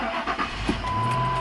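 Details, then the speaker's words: 2001 Ford Expedition 4.6L Triton V8 with crank-no-start key problem, started with the original programmed Ford chip key after the light goes off: brief crank, then catches cleanly and runs steadily; normal start. "this is what it's properly supposed to do when you plug it in turn it over one two three that light goes off and then you're able to start the vehicle"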